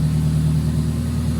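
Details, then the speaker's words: 1995 Toyota Celica four-cylinder with stock heads, new spark plugs and new plug wires likely replacing old burned ones; steady, even low hum with smooth regular beat, no misses or ticks; normal idle. "The car even sounds better though with these new spark plug wires. I think he still had the old burned up ones in there."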